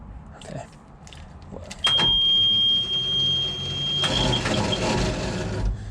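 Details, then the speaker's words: 1988 school bus, sat for years, with newly replaced starter; high steady whir rises and holds with no cranking or engine catch, starter spins freely but solenoid not throwing drive out to engage. "it just sounds like the starter's winding up but the solenoids not kicking it out so I'm going to tap on it in a minute but let me show you what it sounds like right now"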